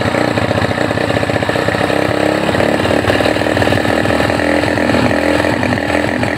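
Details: Honda GL Neotech that runs but falters when throttle is raised, uses a lot of fuel and has black spark plugs; a new plug didn't help and the coil is suspected: ragged, stumbling revving; misfire under throttle.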